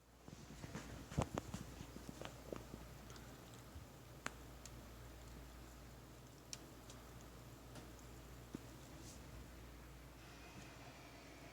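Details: EVGA RTX 2070 XC Ultra graphics card, not overclocked, 1.5 years old: right fan gives soft irregular clicks as it spins over a low hum, fan wire under the blade not seated properly, blade striking the loose wire.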